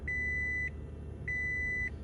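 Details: Gen2 Toyota Prius after brake actuator (ABS) replacement, dash resistor replacement, brake bleeding and code reset. Two clean high beeps, about half a second each, over a low cabin rumble as the system powers up normally with warnings cleared.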